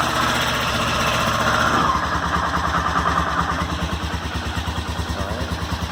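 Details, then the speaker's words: Honda SuperHawk 996 (VTR1000) V-twin, recently revived: settles from higher revs to lumpy steady idle; owner reports a single clunk about every 30 seconds without lurch or rpm change, not clear here. "it's like every 30 seconds it's just like one clunk and i don't the bike doesn't lurch the rpms don't change um nothing"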